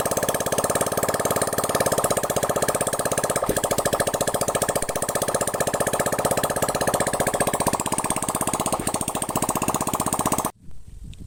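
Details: Honda Vario carburetor scooter, single cylinder, after full engine teardown, internal and carb cleaning, radiator refill, water pump replacement and 50 oversize rebore: quick even putter at steady idle, no knocks or rattles until switched off; healthy.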